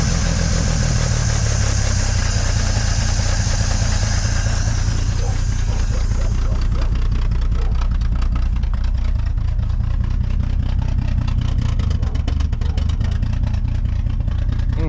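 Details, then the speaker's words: 1950s Dodge Meadowbrook old six after a 6-volt battery swap, engine still cold with a strong fuel smell: it idles unevenly with a stumbling, shaky low thrum that never settles; it runs rough, worse than before. "All right, on this lower angle, there's quite a bit of shaking. It doesn't seem to be running as well as it was before."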